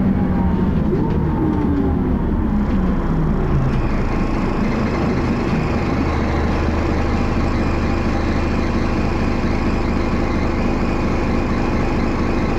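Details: Dennis Arrow diesel bus, recorded onboard: uneven, lumpy low idle rumble with heavy body thrash; idle clearly rough, cause unknown.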